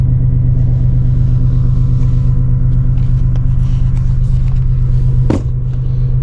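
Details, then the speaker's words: Gen 1 Toyota Tacoma 3.4L V6 (5VZ-FE) idling next day after Idle Air Control Valve replacement and 15-minute relearn: low, even rumble, no surging or dips; idle hunting fixed. "All right, it's the next day. She is rock steady."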